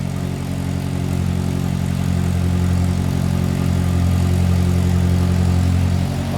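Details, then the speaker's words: 1946 Crosley 2-door sedan, 724 cc high-revving four-cylinder with a single carb, just after a cold start: fast, even idle with a steady low burble and no knocks or skips; normal cold idle. "That was a cold start. We're gonna let it warm up here just a little bit, but I thought I'd let you hear"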